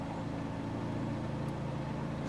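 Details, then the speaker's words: 2014 Chevrolet Cruze RS idling with AC on; the owner complained of fans running too often. The cooling fan goes straight to high speed (relays two and three commanded) with a steady heavy roar and no low stage, so low speed is inoperative. "fans two or three relays commanded on it's starting to ramp up because I'm sure AC pressures building therefore temperatures yep there it goes vanna's on hopefully you guys can hear it just turned off so that's his problem that's what he's hearing I guarantee it"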